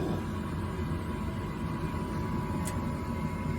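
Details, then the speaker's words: Propane gas furnace fired by raising the thermostat from 68 about five degrees: steady, soft low roar with no pops, bangs or surging, blue flame lit; normal burner firing. "I'm gonna go up about I don't know five degrees nine and you'll hear it fire up you can hear it running"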